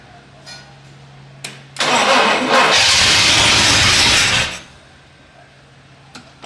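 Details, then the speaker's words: 1967 Pontiac Bonneville, abandoned farm car on a jump pack, cranks about three seconds with steady starter whir and no firing; won't start. Cause not confirmed: owner suspects poor plugs and a gummed-up carburetor. "Um, she's just struggling."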